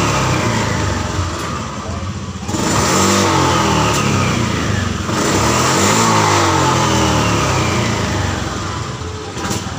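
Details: Honda Vario FI scooter: revs climb then falter and stumble at high rpm like fuel starvation; traced to the throttle position sensor, fixed by removing a brass bush from the TPS.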